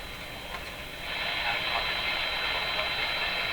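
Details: RCA A-32 Globetrotter radio after replacing its last three paper/wax capacitors, signal generator removed: a station comes through under a fair bed of steady hiss, with no crackle or hum; normal reception.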